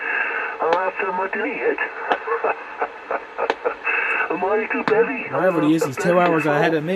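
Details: Homebrew 20-meter SSB transceiver on a bench power supply with a wire antenna: garbled sideband voices come through clearly with steady background hiss. Normal SSB reception on 20 m.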